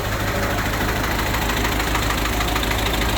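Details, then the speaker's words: Rusty the Spryte snowcat turbodiesel after new OEM Zexel fuel injectors and copper crush washers, about half an hour of running: steady idle with even light clatter, no misses or knocks; rock solid normal idle, sound barely changed. "Rock solid. idle. I don't think it changed the sound of the motor much."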